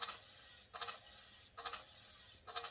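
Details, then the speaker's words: E-bike hydraulic disc brakes after pad change and caliper adjustment, wheel spun freely: soft swishing rub about every 0.85 seconds, once per turn; pads rubbing a slightly bent rotor. "Because my rotors are bent a little bit at some point. Now, you're never going to get rid of the noise 100% because you got pads in there and they're going to rub on the rotor at some point."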